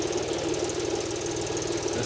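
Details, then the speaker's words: Audi A4 Cabrio 3.0 V6 at idle: uneven stumbling pulses from a misfire despite coils new ~500 km ago after wiring rework; suspected wiring break, coil, injector wiring or spark plug, unconfirmed. "1 2 3 ateşlemede sıkıntı var bu bobinleri Ben yeni almıştım"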